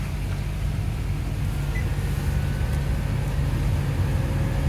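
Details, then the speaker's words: New blower motor just installed in a 2015 Nissan Rogue, tested before cabin air filter fitted: steady, even fan rush with low hum, strong airflow, no rattle or squeal; blower working normally after replacement. "it is working F I'm sure you can hear this is before and this is after the installation you can hear the wind BL"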